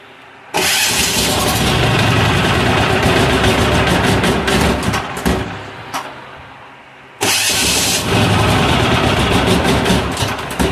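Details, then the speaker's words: Amazon 186FA diesel with diesel turned back on after used motor oil got into the line: catches and clatters a few seconds, fades and dies, then restarted; stalls after starting, air pockets in the fuel line. "let me get past this and I will uh we'll come back definitely definitely got some air pockets in the line"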